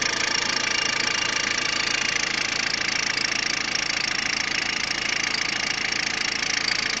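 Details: Peugeot 106 1.5 diesel (11/2002), 130,000 km, timing belt done at 73,000 km: a crisp, regular tick about 3.5 times a second over a steady idle; ticking noise at idle, source not identified.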